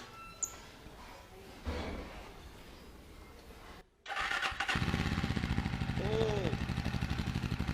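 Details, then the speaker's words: Jawa 42 2.1 motorcycle started after sitting for one month. Quiet, then a brief crank on the first self-start; the engine catches at once and settles into a steady, even idle thump with no misses or knocks. Normal cold start. "Self में ही start guys. First self में start हो गई। आप 1 महीने बाद भी first self में start है।"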